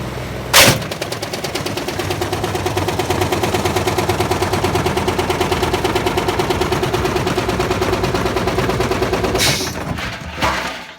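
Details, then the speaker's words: Old motor from a Privileg 5140 washing machine, test-run on a washer PCB: rapid, relentless metallic hammering with sharp bangs at start and finish. The motor's mounting point broke off and damaged the brush. "Wow, something happened there. Let's plug it out. Sounds like we had a metal issue."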